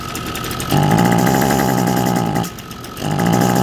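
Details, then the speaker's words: Echo SRM 225 two-stroke string trimmer with a clogged muffler spark arrestor: short choked, rough bursts that never clear out and won't rev. "A lot of times you'll notice that it's just saturated because it's actually spitting the exhaust right back out here. It's just spitting the fuel out."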